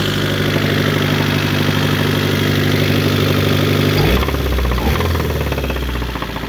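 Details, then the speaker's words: Tired engine that had been out of timing: loud running with a steady knock about three beats a second and a pitch change partway through; knock thought to come from cylinder number 1; rod knock. "he's a knocker. He knocks."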